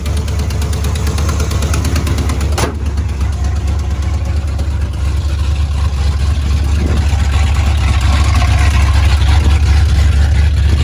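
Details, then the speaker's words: 1987 Ford Bronco XLT, cammed 351W with Holley 4-barrel double pumper, headers into straight-piped true duals, no mufflers, after winter sitting: loud idle with fast steady puffing tick per firing pulse, exhaust leak from passenger-side header gasket needing replacement. "they pick is just an exhaust manifold lead what are the headers gaskets needs replaced on the passenger side"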